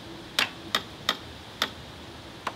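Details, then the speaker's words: 1985 Honda Elite 150 scooter (3000 miles), barn find, first start attempt with rear brake held: six sharp separate clicks at the button with no cranking; owner suspects the battery. "Push the brake. Nothing. I think it's just this. Yeah, nothing. The safety is here. You actually have to hold the rear brake like this, but I think I'm having an issue with the battery."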